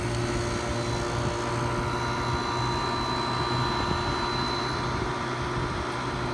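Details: 1977 Kenmore (Whirlpool) 6000 BTU window air conditioner with reciprocating compressor: steady low hum with faint whir, even throughout; running normally, though not typical reciprocating-compressor sound.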